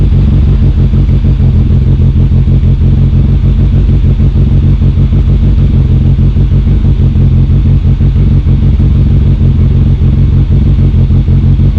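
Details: Toyota KP61 with newly installed engine (silvertop 20-valve oil pump on a 16-valve), after sitting 14–15 months and a jammed fuel pressure regulator fixed; steady low thrum about three beats a second, no knock or misfire, running fine.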